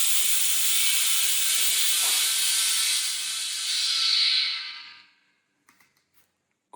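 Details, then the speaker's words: Shop compressed-air network with newly installed dryer on the compressor output, first test: strong steady hiss filling the line for about five seconds, then silence with no leak hiss at six bar; system holds pressure, no major leaks. "So now the whole system is pressure to six bar."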